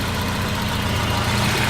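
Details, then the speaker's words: Volvo 240 idling after fuel pressure regulator replacement; before the repair it barely started and wouldn't run. Now a steady, smooth low rumble with no stumble or misfire; repair successful. "You look at that, when your fuel pressure regulator regulates fuel pressure, it works."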